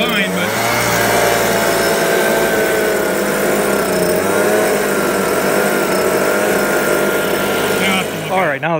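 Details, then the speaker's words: New STIHL leaf blower, two-stroke, under two-year warranty: fine at full throttle and idle, but at about half throttle the high buzzing note wavers and dips, hunting as if wanting to shut off; surging, owner suspects an adjustment, unconfirmed. "but at full throttle it's good and it'll idle good about half throttle it hiccups like it keeps wanting to shut off so it's probably some type of adjustment there"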